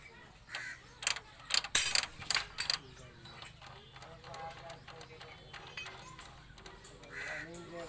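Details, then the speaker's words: Hero Honda City 100 SS after a new cylinder block kit and new timing chain, with the head opened and refitted: kick timing set, but irregular dry ratcheting clicks persist from the kick-start; suspected the kick ratchet was disturbed or its timing misaligned. "तो दोस्तों मैंने किक का टाइमिंग तो मिला दिया, लेकिन फिर भी मैं देख पा रहा हूँ कि ये जो काम करना चाहिए वो काम नहीं कर रहा है, फिर भी आवाज़ कर रहा है। तो हमें ऐसा लगता है कि अंदर में जो रैचेट होता है उन्होंने वो रैचेट खोला होगा।"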